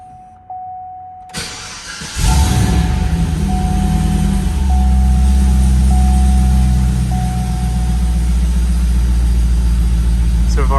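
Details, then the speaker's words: 2009 Cadillac CTS-V after refitting the Airaid cold air intake with its cleaned reusable green filter: a brief crank, the engine catches in about two seconds, then settles into a deep, steady, even idle, running great. "so good everything's running great"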